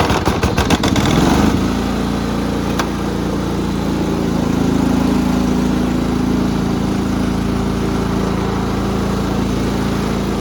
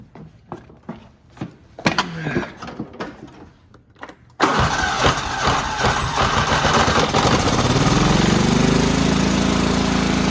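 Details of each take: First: Repaired Cub Cadet riding mower, 16 hp horizontal-shaft Kohler, after deck adjustment, already mowed fine: steady, even single-cylinder drone with no stumbles or knocks. Running fine, ready to sell. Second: Cub Cadet riding mower, 16 hp horizontal-shaft Kohler, primed with starting fluid and on choke: slow cranking pulses, then it catches and climbs to a steady drone. Fuel pump works, but it runs only on choke, so the carburetor is the likely fault.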